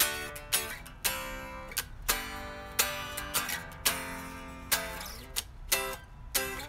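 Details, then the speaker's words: 2012 Fender 60s Road Worn Stratocaster after truss rod adjustment and action set to about 0.060: strummed chords ring clearly with even sustain and no buzz or choke, sounding good all over the neck. "Down low, the strings are sounding good. Middle of the neck sounds pretty good. Sounding pretty good all over. Just playing some chords."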